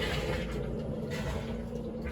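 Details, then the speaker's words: Basement sewage ejector pump pumping bathroom sewage to the sewer line: steady low motor rumble with no cut-off, running continuously until unplugged; float switch failed and to be replaced, water draining back to the check valve. "What we're getting right now is the pump continuously running. Let me plug it in and let you hear what it's doing. Keeps running."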